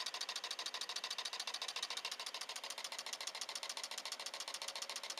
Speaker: right now it's just running just with the batteries so then I'm going to touch this onto the positive you can hear the difference